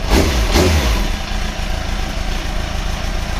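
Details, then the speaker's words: Motorcycle after clutch rebuild with old clutch refitted, cleaned casings, new gasket seal: clean throttle blips then steady even idle; earlier clutch noise gone. "we're good to go you know all feels good sounds good you know what I think we're going to Europe"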